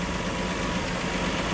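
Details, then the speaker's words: 1962 Ford Falcon Ranchero, 144ci inline-six petrol, choke not hooked up, new battery: a steady, even idle with a low hum and no knocks, plus a minor exhaust leak noted. "it's running well um got a brand new battery in there"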